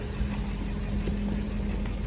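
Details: BMW 840 (8 Series), 56,000 miles, former non-runner, after ECUs refitted and immobilizer coded: smooth even low burble with steady hum on top, no misses or ticking; healthy engine idling cleanly on first run.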